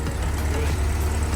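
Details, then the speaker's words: 1957 VW Oval Window ragtop, first start after purchase, carburettor bowl refilled: steady even low rumble at idle with no ticking or tapping; valves sound healthy, engine runs normally. "sounds good sounds like the valves are pretty healthy there's no crazy uh tapping"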